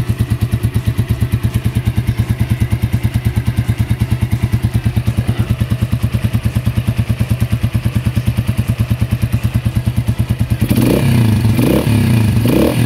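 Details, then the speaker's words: Keeway CR152 single-cylinder motorcycle, 5,000+ km on Shell Advance oil after six months, idling after oil change: crisp regular tick about three per second over exhaust beat; owner deliberately set valve clearance loose. "Ngayon yung lagitik, guys. Dito yan sa ano ko, sa valve clearance ko. Sinadya ko talaga yan."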